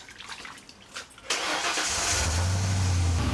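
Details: Ford truck V8 after replacing worn spark plugs and wires for cylinder 7 misfire code, quick crank, catches cleanly, even steady idle with no stumble; firing on all cylinders. Normal idle.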